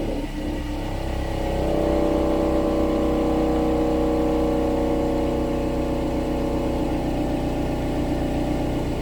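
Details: 2016 Subaru Outback four-cylinder, about 80,000 miles, warmed up, phone under the car at the rear driver side, low idle in drive/reverse: a metallic buzzing rattle over the exhaust note from the muffler, found to be a broken internal baffle weld.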